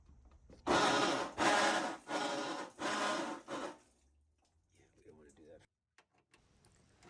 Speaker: so you can hear the noise that noise is basically the splutch and the drive pulley the one that has the belt on they're actually coming in contact with each other so that happens because the pulley has dropped